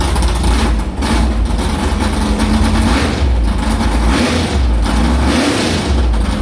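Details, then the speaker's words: Carbureted V8 hot rod with Prosystems carb, idle air bleeds swapped .070 to .055 after a track carb issue, ~80°F day, fired up quickly; lumpy but even idle holding around 1200 rpm with no stumble or hunting, a normal idle. "I think we got the carburetor figured out pretty good. I mean, it fired up pretty good."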